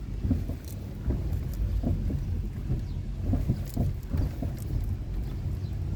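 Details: Mitsubishi Lancer 10 driving: dull low irregular thuds roughly every half second over road rumble; suspension knock.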